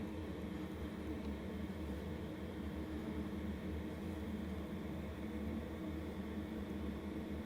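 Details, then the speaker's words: LF Bros 5KW diesel heater just kicked on, room about 80°, warming up: steady even blower roar with low hum, no knocks or surges; loud during heat-up process, expected to quiet once at temperature; normal. "initially it may get a little loud because it's doing its whole heating up process but once it reaches temperature it should quiet down"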